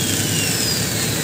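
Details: RYU RSG 100-3 hand angle grinder after bearing replacement for a wobbly, vibrating head; steady high-pitched whir at constant speed with no wobble, rattle or grinding, spindle no longer loose, running clean and smooth.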